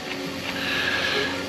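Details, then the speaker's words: Grasshopper front-mount deck blade spindle, hand-spun on a thumb: loose bearing with little grease left gives a gritty, rattly whir instead of a smooth hum; worn, dry bearing. "And this one, I don't know if you'll be able to see, but the bearing has, you know, that's loose, not to mention, let's put it on my thumb. You hear it's noisy."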